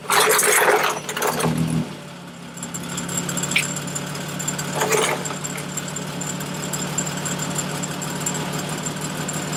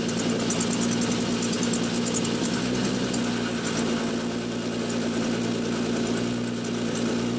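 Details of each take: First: 2003 Winnebago Rialta engine cranks and settles into a smooth, steady idle after repairing an exhaust leak; no ticking or puffing from the exhaust. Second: 2003 Winnebago Rialta petrol engine idling with raspy, puffing exhaust chatter; leak from a failed coupling at the front of the catalytic converter, coupler to be replaced.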